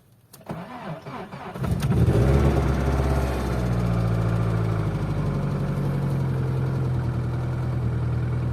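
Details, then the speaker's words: Opel C20XE engine in a Moskvich, on a frosty morning with a weak battery, after the hydraulic lifters were cleaned; it catches after a few cranks and the lifters tick briefly when cold, then go quiet. "принципе все видели метрики постучали как обычно на холодную там пару"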